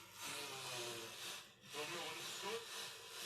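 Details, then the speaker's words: Bang & Olufsen BeoCenter 5000 during restoration, tone board refitted: steady loud hiss with a faint FM station fading in and out while tuning; very poor FM reception, presets not working, cause not yet known. "Very poor reception, but it's FM. Really poor reception, but Yeah."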